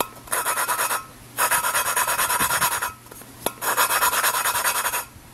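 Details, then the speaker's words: 1993 Ford Ranger 4x4 cylinder head rebuild, lapping a valve by hand with a suction-cup tool and compound: gritty rasping strokes about a second each with short pauses; still grinding, so the valve isn't seated yet and needs lapping until the sound turns smooth. "you hear it kind of grinding like that. You want to keep doing that until it's a smooth, just a smooth sound."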